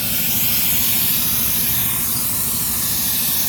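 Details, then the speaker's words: 6-car trailer with brake lines hooked up, ABS light on in cab; loud steady high hiss, no rhythm or engine note; air leaking from brake line behind a weld, owner suspects line burned during welding. "I know exactly where it comes from because it's leaking from behind this weld. I think when they welded this plate onto here, they might have burned the airline."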